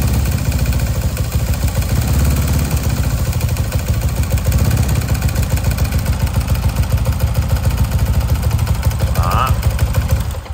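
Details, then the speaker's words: Motorbike engine rebuilt with stock 62 bore kit, held at raised revs: fast, uneven clacking from the cylinder head over the exhaust note persists after all checks; loose cam/rocker was suspected, but the cause is not yet found. "Bây giờ mình sẽ để cái tiếng kêu cho bạn xem. Đó, các bạn nghe tiếng cạch cạch không? Lên ga nha."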